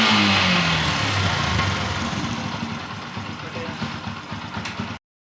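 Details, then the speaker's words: Yamaha FZ motorcycle after swapping in a Pulsar 180 carburettor: starts on the first try, revs fall away and settle into a steady, even idle, and the earlier exhaust popping is gone; normal clean idle. "അപ്പോൾ നമുക്ക് just ഒന്ന് start ചെയ്യാം. കണ്ടോ, ഒറ്റ ഒരു സാധനത്തിൽ തന്നെ സാധനം കിട്ടി. അപ്പോൾ നമ്മുടെ ഈ പൊട്ടലും കാര്യങ്ങളെല്ലാം മാറിയിട്ടുണ്ട് ഗൈസ്."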